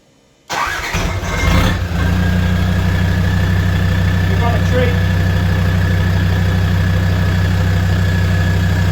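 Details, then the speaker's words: Land Rover Defender 130 TD5 diesel, first start after sitting a while and after fuel purge and bleeding (earlier starts were hard work, ECU earth initially missed); brief crank, catches at once and settles into a steady, even idle with low rumble: normal start and idle. "So, initially trying to start it was hard work. Hasn't been running for a little while, but now it starts straight up."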